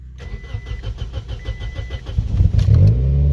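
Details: Toyota/Scion manual car with dead battery, started on a jump pack in neutral with clutch in: steady cranking about three and a half beats per second, catches cleanly and settles into even idle; exhaust leak noted; normal start.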